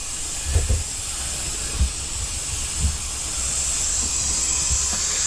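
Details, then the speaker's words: 2023 Sea-Doo GTX 300 Limited with stage 1 tune, slow at 74 mph: steady high hiss of escaping air over low thumps under boost pressure test; boost leak found at the intercooler-to-throttle-body hose, not the blow-off valve. "all right so that is leaking is the hose from the inner cooler to the throw body definitely [Music] leaking"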